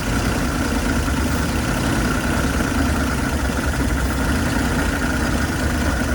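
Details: 1979 Dodge B200 Maxivan V8, rescued after being abandoned: idles with an uneven, lumpy beat and a steady hum on top, sounding funky; possible misfire suspected. Rough running.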